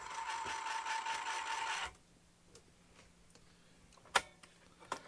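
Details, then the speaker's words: Amiga A500+ floppy drive reading a possibly damaged Kid Gloves disk, after Agnus socket repair: harsh buzzing grind with steady whine for about two seconds, then scattered head clicks; drive struggling to read, disks suspected damaged, not confirmed. "Does not sound good. Well, that sounds like pure horror."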